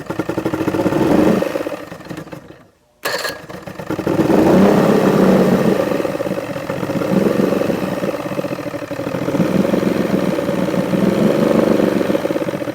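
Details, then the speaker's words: Force two-stroke outboard on a Bayliner boat: burbles unevenly at very low idle, dips almost to a stall, then catches; idle suspected too low, needs adjustment. "Now, do you think it's idling too low? Yeah"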